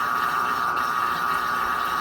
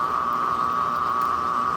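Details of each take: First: Washing machine on spin cycle with lid switch bypassed: steady loud high-pitched whine over low rumble throughout, too loud for apartment neighbours; owner suspects the motor, possibly worn motor or drum bearing, not confirmed. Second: Worn washing machine drain pump, somewhat used, pumping water out before the spin cycle: a steady, even high-pitched whir with no knocks or grinding, a bit louder without water; normal for this pump.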